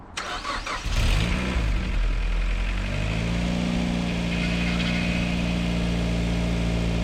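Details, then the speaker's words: Mazda MX-5 NC Mk3 1.8 engine, rebuilt because of oil use from piston rings, with fresh coolant: first start after the rebuild gives a brief crank, then it catches cleanly into a smooth, even idle with no knocks or misses. Normal start and idle. "that's the noise we wanted yeah Wicked well there you go it didn't bow some Pistons did not meet which is always fantastic"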